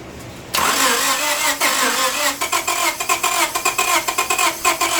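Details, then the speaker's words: 1998 Honda Civic 1.6 VTEC that stalled on the highway: catches after cranking with throttle held, then runs rough with a fast uneven knock; a rod gave way or excessive clearance bent something, engine needs replacing. "but that definitely was a rod that gave way or excessive clearance caused it. It's bent something."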